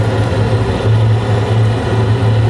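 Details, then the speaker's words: Carrier Infinity 96 (58MVB) gas furnace in 2nd stage, after gas valve click: steady low roar of 4 burners running evenly, no popping, puffing or rumble, flames not yellow, no rollout; normal ignition. "Should hear the gas valve click soon. There's the gas valve. And we have our 4 flames."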